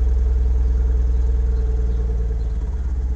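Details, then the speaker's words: Mazda NB2 Miata with VVT on newly installed RusEFI standalone ECU with base tune, cold start after three tries: even low four-cylinder pulse that sags and wavers; idle hesitates and needs adjustment. "Okay, hesitating a little bit. So I gotta adjust the idle to make sure it's good."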